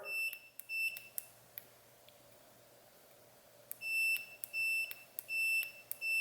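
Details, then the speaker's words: After removing the resistor and soldering over it, the factory steering wheel button now shows continuity on pins three and four: clear beeps start and stop with each press, passing ground for Holley Terminator X inputs. "that blob of solder there is where I removed the resistor and now the circuit actually has continuity when I push the button so if I put my leads on here on three and four"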